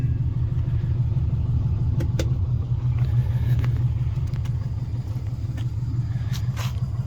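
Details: 1958 VW Beetle fitted with a 2002 Subaru Impreza 2.5 naturally aspirated flat-four via KEP adapter to a VW IRS transaxle: deep, even low burble with a steady pulse, no misses, knocks or ticks; normal healthy idle.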